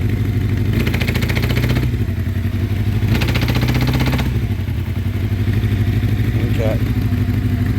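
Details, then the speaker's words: 1984 Honda CB700SC Nighthawk running on choke, warming up, gas smell, carbs or rings suspected: low uneven chugging with brief rasping surges that never climb cleanly; engine bogs and won't rev. "I'm having to run it on choke so running good on choke but I don't think it'll rev up that's what it's doing I'm trying to rev [Music] it"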